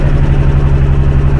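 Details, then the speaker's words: MK2 MG ZS 180, KV6 engine, 140,000 miles, black oil, just started: heavy idle with loud, rapid tapping over the rumble; owners suspect the intake manifold internals have broken up, unconfirmed. "We we got the engine started and then there's a a noise that a KV6 shouldn't make. It's like a very loud tapping noise."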